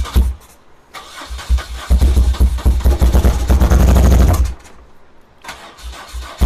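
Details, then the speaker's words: 1978 BMW R100S airhead twin, first start attempts after sitting for years, choke on, heavy smoke, possibly fuel-flooded carb: cranking gives stumbling bursts that catch and die; owner suspects the plugs, and it later ran on starter fluid; hard start, rough running. "So for now, we're going to call this a marginal success. It's running, which was the goal, but it sure isn't running well."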